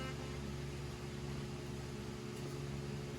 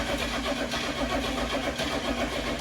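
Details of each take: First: 1977 Ford F150 4x4 with a V8 taken from an RV, 77,000 miles, first start after restoration: smooth, even idle with a steady low rumble, no knocks, misses or smoke. Engine sounds healthy. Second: 1977 Ford F150 4x4 with 4-speed manual, first start after electrical repairs and a brand-new fuel pump: steady rhythmic cranking churn with no catch or firing, because fuel has not yet reached the engine; crank, no start.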